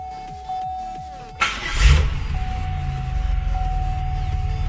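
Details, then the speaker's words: Copart Pontiac Grand Prix that had trouble starting, after repair: short crank then catches at once into steady slightly raspy idle, possibly aftermarket exhaust; now starts easily and throttle no longer drops on restart. "well I do have to say that it starts up a lot easier now and we don't have the throttle that drops whenever you shut it off and start it back up it it starts right up easy"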